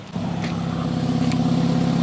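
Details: BMW at idle after replacing the exhaust fixing bow (part 18307620323) that caused a rattle: a steady low drone with no tinny buzz or rattle from underneath; normal idle.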